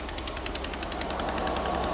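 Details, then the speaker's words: Mystery VW flat-four built from used parts, on first start with Mystery Oil: rough idle with rapid, sharp ticking puffs about eight a second from a small, visible exhaust leak. Leak judged not bad, and no bottom-end knock is heard. "I got a little bit of an exhaust leak over here yeah I can hear it I can see it too yeah but ultimately it's not bad not bad"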